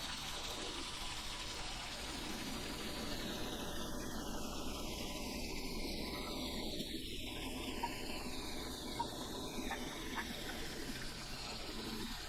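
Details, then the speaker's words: LG WT7800 direct-drive top-load washer after sensing the load weight, filling the basket: even continuous gush of water with faint low hum, no grinding; normal water fill. "So now it's done sensing and it's going to place the water into the basket."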